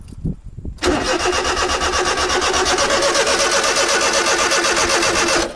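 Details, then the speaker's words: Honda Beat JDM sport car after main relay swap, fuel pump priming fine: starter cranks steadily about 160 beats a minute for five seconds with not even little pops; engine turns but won't combust. "We're not even getting little pops, man. It's not even trying to combust."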